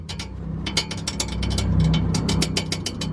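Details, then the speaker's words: Exhaust pipe shaken by hand: quick metallic clattering about four raps a second; the weld on an exhaust hanger bracket has broken, needs re-welding. "what basically the world that's the noise the world on that Azores bracket has broken so I need someone who can world the world it will back up again"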